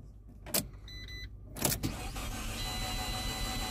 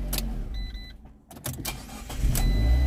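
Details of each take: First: Auction car at start attempt: starter cranks in short bursts with a few stumbles but never catches despite plenty of fuel; owner suspects no compression or a broken timing belt; crank no start. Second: Copart auction car that previously would not start, shifts through gears fine: short crank, then catches at once into a steady low idle; clean start, owner wonders if bad fuel was the cause.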